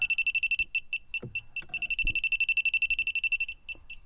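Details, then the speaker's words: Car A/C leak detector (sniffer) beeping fast, high and steady with a few handling bumps as it alarms on refrigerant pooled low; leak narrowed to the expansion valve or evaporator. "oh yeah there is a layer of refrigerant there so thank God I narrowed it down it is either expansion valve or the evaporator"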